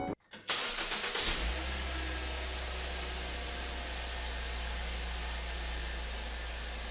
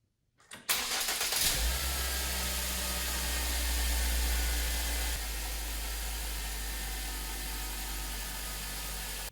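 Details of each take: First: 2009 Ford Focus, 115,000 miles, cold start: high thin squeal over idle, rotating with engine speed and fading as it warms; owner suspects glazed, slipping serpentine belt, to be replaced. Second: 2009 Ford Focus after serpentine belt replacement to cure a squeak that followed engine rotation on cold startup; quick crank catches cleanly into an even idle with no squeal or chirp, squeak completely gone.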